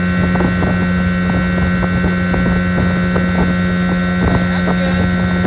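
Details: 1980 Evinrude 15 outboard after a carb rebuild, new water pump impeller and rebuilt fuel pump, at full throttle under way: a strong, steady drone with wind rushing past, pulling evenly with no misses or surging. Running normally.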